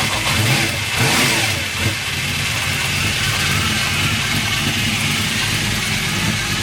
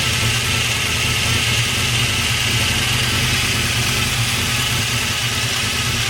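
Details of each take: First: Freshly swapped 383 stroker V8 in a 1998 Chevy S10, idling with timing still a bit off; steady high mechanical whir over the lope from the gear-drive timing set, normal. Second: Freshly swapped 383 stroker V8 on first start after priming, idling with a busy, tinny, irregular clatter over the engine note; something is rattling, source not yet found.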